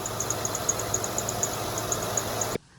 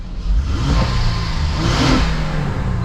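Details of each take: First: High, bird-like chirps about four times a second, uneven in timing, over a quiet idle on a 2011 Honda Pilot; serpentine belt slipping, squeaks when cold but not when hot, belt and tensioner suspected. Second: 2011 Honda Pilot petrol engine after replacing belt tensioner and belt: a couple of light revs then settled idle, no chirp or screech from the belt.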